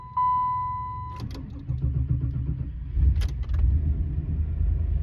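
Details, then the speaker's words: 1993 Cadillac Fleetwood Brougham after belt tensioner and serpentine belt replacement, sat about a week: chime, short strong crank, quick catch and steady low idle with no squeal, chirp, rattle or strange noises; normal start and idle. "And that sounded nice and strong. And she started right up with no strange noises."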